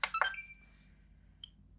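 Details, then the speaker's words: Xbox One S, apparently previously opened: short start-up chime, then quiet, then a faint click about a second later as console shuts itself off; powers on then immediately off. "let's see if we can replicate the problem let's press the power button well yeah it's definitely turn it on then turn it off again isn't it"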